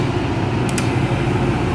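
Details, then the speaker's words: Commercial ice machine, possibly Ice-O-Matic (tech unsure), reported as not dropping ice. The compressor has just kicked on; the tech reads 2.5 A, then 7 A on the condenser and 7.5 A on the compressor. Even low hum with fan rush, no knocks: normal compressor running. "just kicked on 2.5 amps so I'm guessing an odor for the compressor kick on my gearbox has to be on"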